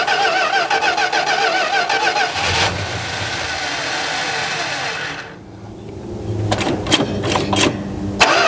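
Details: 1971 Plymouth Road Runner (questioned 340 H-code V8) after filter and fresh 10W-40 oil: cranks repeatedly in short bursts but never catches; no fuel from the carburetor, which needs a rebuild.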